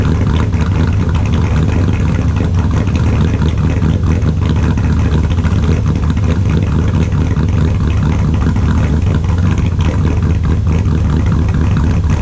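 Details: 2002 Silverado with a built LS V8, cold start after sitting since Friday: a deep, extremely loud, even idle with a choppy cam lope and steady firing; sounds healthy.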